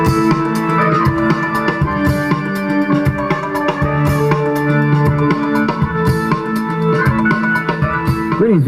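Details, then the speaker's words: 1993 Acura Vigor stereo after replacing blown front door speakers (rears not yet done): music plays full and clean with solid bass and drums, no rattle, buzz or distortion; speakers working normally. "well that sounds a lot better uh I'm still going to have to go back and and do the rear speakers but the the sound is much Fuller sounds just a lot cleaner than it used to"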